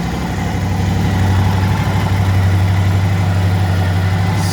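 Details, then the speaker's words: Suzuki DL1000 V-Strom at 23,000 miles, warm, after spark plug replacement for erratic idle once warmed up: now a steady, even V-twin idle, though the problem later returned. "she's idling good now though Suzuki DL 1000 also known as a v-strom"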